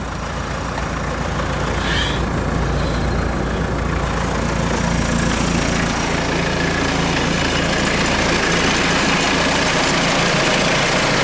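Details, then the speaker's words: 1996 Mitsubishi Delica L400, 2.8L 4M40 diesel, warm after 25–30 minutes of running following head gasket replacement: steady, even clatter at idle with no misses or knocks, settled and smooth. "we've been running for about 25 30 minutes just gonna show you"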